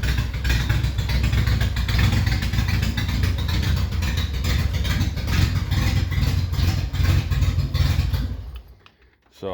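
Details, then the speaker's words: 1975 MG Midget at the start of a rebuild, idling in neutral: loud, raw low rumble with harsh, blatty pulses, then it shuts off. The exhaust pipe has come apart underneath, so it sounds like a hot rod. "sounds like a hot rod right now"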